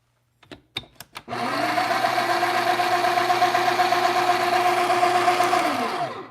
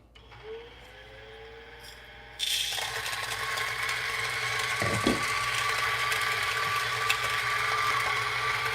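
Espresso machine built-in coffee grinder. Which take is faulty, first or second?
first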